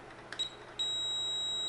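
A steady high beep switches on and holds without a break: the meter reads continuity, so that bridge diode is shorted.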